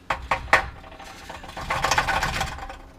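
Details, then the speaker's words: Subaru exhaust rattle, engine off, converter shaken by hand after removing the heat shield (first suspected). Loose metallic rattling bursts from broken substrate inside the catalytic converter. "alright so um cat is broke alright um okay so it wasn't necessarily this but I personally don't care okay so it is the catalytic converter that is rattling"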